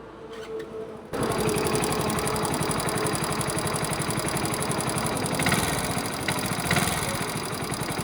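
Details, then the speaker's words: Hero Splendor after a Delhi–Jaipur fuel test ride, with power loss (80 vs 90 top speed of the other bike): fast, uneven metallic rattling buzz over the engine beat, like a screw loose inside; source unknown, owner suspects internal damage. "झंझनाहट की आवाज़ है जैसे कुछ तो ऐसे अंदर खुल गया हो या फिर ढीला हो गया हो ना, जैसे स्क्रू वगैरह, तो वैसी आवाज़ है।"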